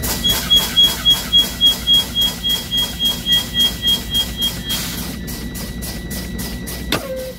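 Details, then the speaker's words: Truck air brake spring brake pop-out test: sharp even air bursts about 3.5 per second as brakes are fanned, then valves pop out at primary 26, secondary 25 psi, within 20–45 psi; good test. "Okay, this is a good test because both pop-out valves popped out in the range of 20 to 45 PSI. My primary reads 26, my secondary reads 25."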